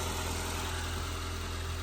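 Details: 2017 Ford Transit Connect work van, first start after battery replacement: steady low even idle with smooth regular firing pulse, no knocks or misses; engine running healthy.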